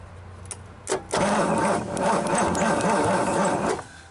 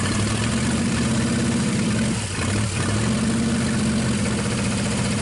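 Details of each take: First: 1963 Pontiac 389 V8, first start attempt after cleaning corroded points: starter turns engine slowly with about four labored compression pulses per second, no firing; slow cranking from weak borrowed Honda battery, jump box to follow. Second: 1963 Pontiac 389 V8 at first start after long storage, running on 2-cycle gas, powered via jump box: deep, steady V8 burble with a couple of brief throttle blips; normal idle.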